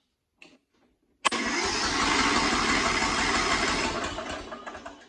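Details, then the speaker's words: Cub Cadet XT1 with a Kohler 18hp engine, cold, after a carburetor clean and choke adjustment for long cranking: it starts almost at once without choke, then runs a steady beat with slight surging that may ease when warm. "well you could hear it's doing a slight surging maybe that'll go away when it warms up it's pretty cold"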